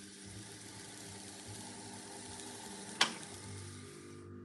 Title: Revox B77 MK2 buzz noise on idle